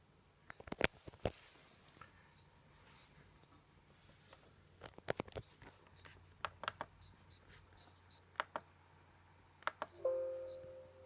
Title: Acer aspire 5742 sound problem,, squeak '' anyone know how to fix???